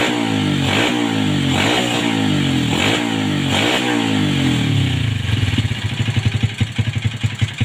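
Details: 2007 Yamaha Vega R motorcycle after fixing hesitation and coughing by cleaning deposits out deep with a wire and blowing it clean. Engine revs up and drops back cleanly, then settles to an even idle. Normal running.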